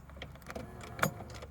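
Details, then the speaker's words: 1993 Ford Mondeo Mk1 GLX 1.6 16v Zetec from salvage, freezing −4 °C morning, central locking test: a few quick dull clunks with no grinding or buzzing. Lock actuators working normally. "Oh, appears to be working. Yep. Yep."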